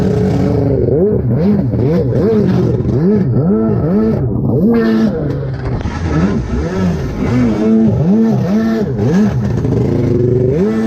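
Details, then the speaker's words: Rebuilt SuperFreak two-stroke watercraft on the water, hard to crank and running poorly despite carb work: revs surge up and down unevenly, hunting and stumbling throughout. Poor running, faulty carburettor suspected. "Now it runs like do again. Well, not that bad, but I've been messing with you getting better. Trying to crank it is terrible."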